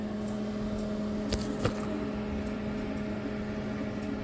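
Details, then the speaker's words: LG NeoChef MJ3965BGS inverter microwave, about 4 years old: steady low hum with faint irregular tick-tick clicks as the timer runs and the turntable rotates with water inside, but no heating; other functions work; magnetron failure. "there's a sound coming up tick tick tick tick tick tick nothing comes up so St table rotates even I place it water time it up start you can see this a tick tick tick sound it will not hit it up at all"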